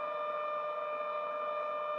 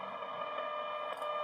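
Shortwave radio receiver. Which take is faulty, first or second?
first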